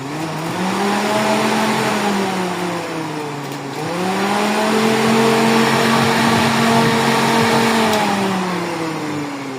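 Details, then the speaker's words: Suzuki Celerio, new high-speed replacement cooling fan motor being tested, fitted over vibration complaints: clean motor whir that swells and dips with speed, no grinding or rattle; normal cooling fan running. "Ito ipapalit natin pangbios. High speed na motor 'to. Malaking motor 'yan."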